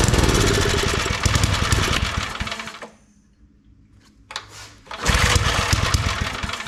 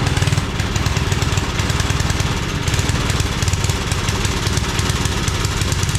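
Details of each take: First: Old Briggs & Stratton 5 hp wood splitter engine after reassembly, spark confirmed, plug carboned; runs rough, dies to near silence, sputters back. Fuel starvation; carburetor needs parts, carb kit planned. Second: Homemade wood splitter with 5 hp Briggs single-cylinder engine, restarted without choke after adding more fuel (it had seemed to be running out): steady low, even thumping beat holds without surging or dying; normal running.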